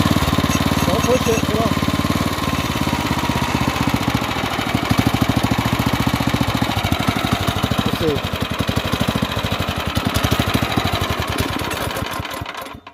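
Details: Off-road kart with a stock carburetor on its 301 engine, after throttle adjustments: uneven loping firing at about two beats a second slows and fades until the engine dies. Stalling; the owner suspects a dirty carb, a lean mixture or an oil sensor, unconfirmed.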